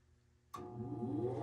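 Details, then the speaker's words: 2007 Heil gas furnace with three burners and hot surface ignition, startup sequence: after a second of quiet the draft inducer motor kicks on abruptly and its steady high-rpm hum firms up quickly; normal draft inducer startup. "[Music] nice startup from the draft inducer so the blower fan motor turns on there's the hot surface igniter see that there's the giraffe and do the vacuum switches closed the igniter turns on you'll hear a click from the gas valve and then it establishes a flame"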